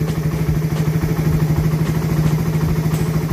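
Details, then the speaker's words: Second-gen Raider 150 single, previously extremely noisy then stopped running, now repaired and running: crisp, even thumping at steady idle, about three pulses a second, no knock or rattle; still somewhat smoky, 28mm carb suggested; normal idle. "So ano to second gen yan ganyan yung tunog ng makina ni paps"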